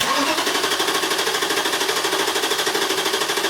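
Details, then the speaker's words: 2002 Infiniti Q45 4.5 L coil-on-plug engine, crank no-start, no spark, code P0335: steady even cranking about 2.5 pulses a second, sounds like normal compression but no firing; fixed by replacing failed crankshaft position sensor. "Okay, good. All right, based on the sound of that, it sounds like it has compression and cranks normally."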